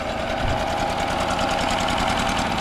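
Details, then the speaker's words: Older Honda 7.5/10hp four-stroke outboard (non-CDI) in a water bucket: fast, thin buzzing run with lumpy, uneven beat, firing on top cylinder only; bottom spark plug smashed with zero gap, no spark, before plug replacement. "Well, I pulled this bottom plug out, and you can see there's zero gap. This plug's like smashed, so that's why I wasn't getting spark."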